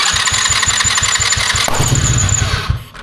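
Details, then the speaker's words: Old roadside-found four-wheeler with flat tires, dead battery and a finicky carburetor: rapid chuffing cranking at about 3.5 beats a second, then a sharp backfire pop as it catches and dies. "It's a pop. It backfired, okay."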